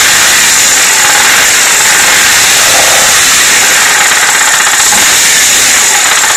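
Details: Engine running steadily with a faint, even tapping under hiss; an engine knock whose location the sound alone doesn't reveal.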